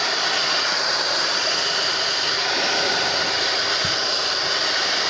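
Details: TAIFF 2100 W titanium hair dryer after cleaning and oiling its motor bushings to cure screeching: smooth steady airy rush, no screech or squeal; motor running quietly and healthily.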